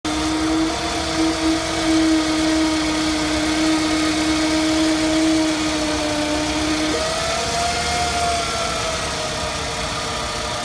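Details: 2006 Scion tC at idle: a thin, steady whistle over a smooth idle jumps higher for a moment before settling; a weird whizzing noise of unknown source.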